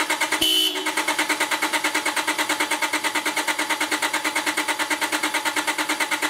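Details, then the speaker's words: 2001 Honda Accord with an intermittent no-start, possibly a bad ignition switch, cranked on a NOCO GB70 jump starter with the PGM-FI main relay unplugged: brief horn blip, then steady starter cranking about three strokes per second, never catching; crank, no start. "right now I have the uh pgmfi main relay unplugged just to keep it from running and uh I'm going to crank it I don't know maybe two more times and then give up here"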